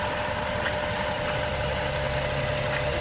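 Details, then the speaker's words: Overheating car that shakes and vibrates, water pump and thermostat recently replaced: lumpy, shaky rough idle with an uneven knocking undertone while coolant spits back; exhaust gas suspected in the cooling system from a blown head gasket, block test pending. "i don't know what my solution is but yeah that is spitting back out guys not good oh and the engine is running rough"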